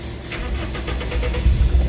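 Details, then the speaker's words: Toyota Innova 2.0 gasoline that dies while running, with shaking and voltage around 13.3–13.5: labored cranking after stalling that suddenly catches into a rough uneven idle; hard restart after stall. "Ayun, hirap na. Ayun, biglang umandar."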